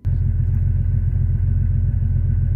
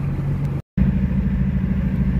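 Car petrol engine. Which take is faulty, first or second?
second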